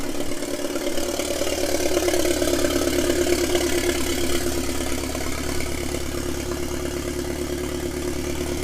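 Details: 1997 Mitsubishi Eclipse GSX with 6-bolt engine swap, first start after rewiring the CAS; the long-sitting engine settles into a smooth, even idle with a steady low drone and no knocks or misses. Normal idle.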